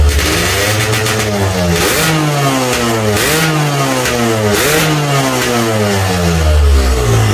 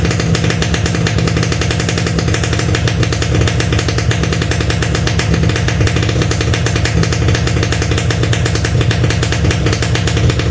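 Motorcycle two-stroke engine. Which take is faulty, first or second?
second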